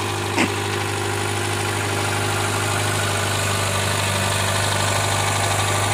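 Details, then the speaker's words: 2012 Hyundai Elantra with 72k miles, cold start by remote start: irregular knocking and grinding over a steady idle drone, and the engine shakes. It also happens on cool starts and when accelerating up steep inclines. The starter and engine were checked and found fine. The cause is unknown. "It's been making a weird grinding noise when I start it up on a cold startup or even if it's just maybe like two notches above completely cold on the startup."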